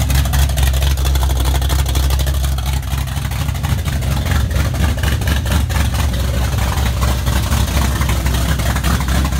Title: 79 Z28 Camaro - first startup after rebuild